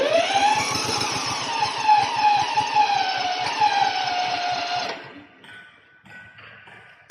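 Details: Small single-cylinder remote-control lawn mower engine, started with ignition switch on, throttle raised and choke held: catches and runs with quick, even firing and steady pitch for about five seconds, then shuts off; sounds healthy.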